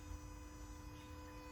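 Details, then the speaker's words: Scion iA / Yaris iA / Mazda 2 with no-start issue after fender replacement, immobilizer and security lights now off: faint steady constant-pitch low hum from below the engine; owner suspects grounding, starter or alternator, unconfirmed. "I got a sound coming from somewhere over here I don't know where it's coming from somewhere down here"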